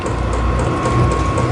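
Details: Vevor portable diesel camping heater with fan speed turned up to a higher setting; quick steady ticking about four a second over a smooth fan rush. Normal fuel pump pulsing, though owner finds the clicking too loud and wants a fix.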